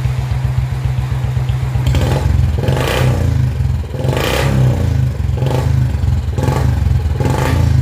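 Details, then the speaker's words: Royal Enfield Bullet 350 BS4 with misfiring problem, after fitting BS3-type spark plug in place of BS4 plug: steady thumping single-cylinder beat with even rumble and throttle blips, no stumbling; running clean. "तो आपने देखा BSP वाली सीधे लगाने से गाड़ी में क्या अंतर है एकदम गाड़ी पर सेट हो गई कोई भी मिशन नहीं गए इस कार्यक्रम में"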